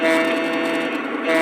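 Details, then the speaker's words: New 2025 Lionel FM TrainMaster diesel from the Post-War Inspired set, running with the shell off; the diesel sound carries a thin buzzy rattle, traced to inside the speaker housing. "Yes, it's coming from the speaker housing. So, it's definitely coming from inside the speaker housing."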